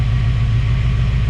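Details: Chevrolet Caprice V8 idling smoothly with an even beat and no ticking or knocking after a new distributor cap, rotor and water pump; plugs and wires unchanged. The owner thinks cap and rotor buildup, not a lifter or pushrod, caused the earlier noise.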